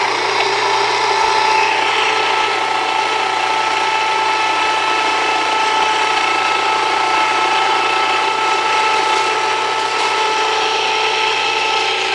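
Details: Jiffy Precision Mill, US-made electric steel burr grain grinder, grinding grain at a slightly backed-off setting; steady whir with fine even ratcheting grind and constant pitch; mill warm but not hot to the touch after; normal grinding.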